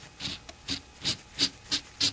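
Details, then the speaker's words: Ford SVT Cobra clutch throwout bearing turned by hand, giving dry gritty rasps; rough, dry and worn into its face; pressure plate had also become very stiff to push. "I don't know if you can hear it but the the bearing is rough as all get out and dry and you can see see where it's actually worn into the face of it there so it's time"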